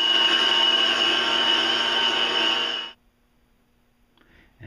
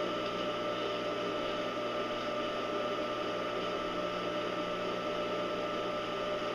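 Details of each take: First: Scrapyard electric motor for a home-built cyclone dust blower, before bearing re-greasing: a loud, piercing high whine with a fast ringing pulse that runs down to quiet. The bearings are dry and worn; the motor was possibly dust-flooded, but the bearings weren't rusty. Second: Steady, even motor hum with soft whirring hiss, no knocking or grinding, from a scrapyard electric motor in a home-built cyclone dust blower after regreasing bearings; quieting as bearings warm and grease mixes, running healthy.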